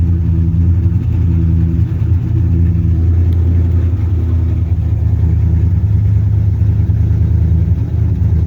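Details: 1980s third-gen Camaro 305 TPI V8 idling steady and clean with a slight throttle blip, no stumbling, after a crank-no-start problem; it started on starting fluid with injectors unplugged and now runs with them reconnected.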